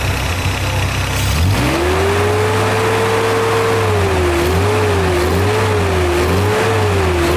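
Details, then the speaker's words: 1985 Toyota Celica GT, 2.4 L 22RE engine: revs climb then pitch wavers and hunts; fuel pressure drops to 25 on a rev while pump voltage stays steady and the pump pulses, pointing to a dying fuel pump. "my Vol my pressure dropped there it should not have it dropped to 25 on a REV"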